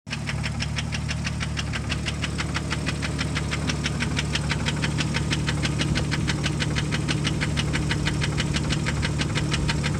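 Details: 1998 Jeep Grand Cherokee Laredo 4.0 inline-six, 233k miles: steady, fairly regular knock about three a second at idle, rising as RPM increases when the throttle body is pressed.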